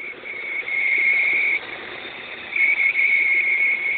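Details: Opel X20XEV engine, warm, running quietly while a high, thin whistle around two kilohertz comes and goes. The whistle appears only when the engine is warm; the cause has not been found.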